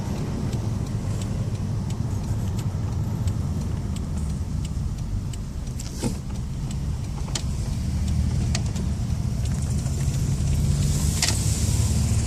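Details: 1993 Toyota Camry XLE V6 driving with cylinder 3 dead from a bad fuel injector, other five injectors dirty and bad spark plug wires; steady low drone with an uneven, lumpy misfire pulse, also low idle rpm and low power.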